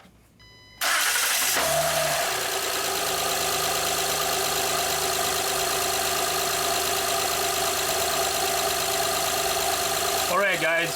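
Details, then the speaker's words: 2011 Honda Pilot 3.5L after timing belt and water pump replacement, before upper timing covers refitted: starts at once and settles into a smooth, even idle with no knocks or ticks; timing correct. "so as you can see the engine is running everything looks good okay so our engine is timed properly it started on one kick the engine sounds good"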